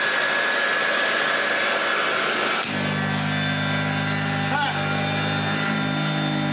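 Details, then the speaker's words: Hoover Junior 1334 vacuum after restoration, running without the belt; a homemade rear motor bearing was suspected of causing earlier noise: after a hiss, the motor spins up to a steady, even hum with no rattle or grinding; normal operation. "Perfect. doesn't that sound nice, especially compared to how it sounded before?"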